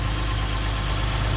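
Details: Toyota Sienna after replacing the crumbled, vibrating muffler gasket that caused an underneath rattle on acceleration: smooth, even low rumble at idle with no rattles or buzzing from underneath; the exhaust sounds tight and healthy.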